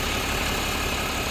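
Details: Diesel truck idling after 5 minutes following the bottom radiator hose refit and coolant refill. Short, even clatter at a steady pitch with no misses or knocks; no leaks, clamp and hose holding, running healthy.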